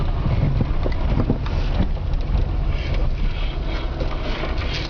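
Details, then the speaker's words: ВАЗ: dull, irregular knocks from the front suspension under heavy wind rumble, a worn control-arm ball joint knocking. "вот он звук сейчас покажу ем о о о глухой звук это шаровая опора"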